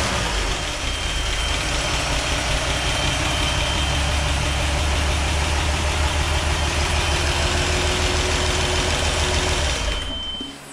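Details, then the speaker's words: Toyota FJ40 after a full engine rebuild, first start: a steady six-cylinder idle with a smooth low rumble, running pretty good but with lifters tapping. A forgotten vacuum hose makes it run very rich; timing and lifters still need adjusting. "We will need to adjust the lifter again You can hear them tapping But it's running pretty good!"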